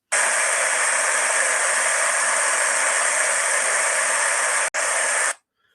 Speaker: this is a beding in a good condition you will hear it's just a nice smooth